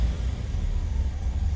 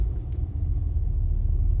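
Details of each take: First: 1985 Chevrolet Caprice Classic, 5.0L 305 V8, about 152,730 miles, warm, before repair. Off the throttle, a low, lumpy idle surges and sags unevenly, close to stalling. The owner suspects a faulty EGR valve, which also causes stalling at stops. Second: 1985 Chevrolet Caprice Classic, 5.0L 305 V8, about 152,730 miles, just started after replacing the EGR valve. It starts right up and idles with a low, smooth, steady rumble, no misses, stumbles or surging, while warming up.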